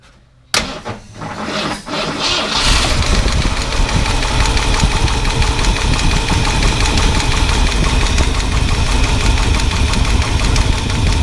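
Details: 1978 Ford F-150 with 460 big-block, misfire: cranks, catches and settles into a loud, uneven idle with busy top-end valvetrain clatter; suspected bent pushrod; half a gasket was missing.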